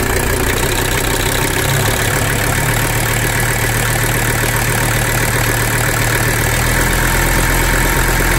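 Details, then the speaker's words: Mercedes 300D OM617 diesel idling after oil line patched and oil added following zero oil pressure: steady, even clatter and firm low rumble, sounds healthy; oil pressure good, alternator belts squealing. "hopefully these will be better. The engine sounds good to me."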